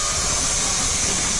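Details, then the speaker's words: Ashok Leyland 3118 12-wheel truck, lift axle raised by switch: strong steady rush of air as bellows deflate and inner balloon fills, no sputter; lift axle air system working normally. "Wheel കണ്ടോ പൊങ്ങണ. ഇപ്പോ wheel പൊങ്ങി. അപ്പൊ എന്തുണ്ടായെന്ന് വെച്ച് കഴിഞ്ഞാൽ അതാ ഈ balloon ഞാൻ നേരത്തെ കാണിച്ച ബലൂണിലെ എയർ ഫുള്ള് കംപ്ലീറ്റ് പോയി."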